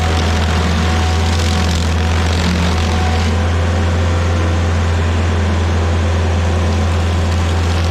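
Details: Rebuilt-motor stump grinder on its first job, grinding a willow stump: strong, steady drone under cutting load without sagging, surging or misfiring; runs smoothly and healthily.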